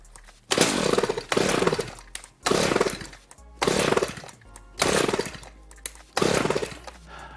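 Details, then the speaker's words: Redmax Husqvarna GZ25N two-stroke trimmer with a replacement Walbro WYA-75A carburetor: six rasping pull-cord strokes with no firing; no start, resolved after a new plug and regapping to the 0.025 in spec. "right nothing this thing came with a spark plug i'm gonna go ahead and try that spark plug and see if that's the problem"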